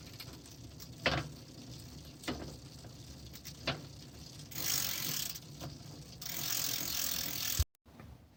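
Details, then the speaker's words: 1980s Raleigh Milk Race bike, newly fitted chain still dry and unoiled, after rear derailleur adjustment: even chain whirr with light freewheel ticking, no skipping or grinding; drivetrain runs smoothly, much better than before. "Yeah, sounds okay. Sounds much better than it did before, anyway. Yeah, and I haven't even put any oil on this chain yet."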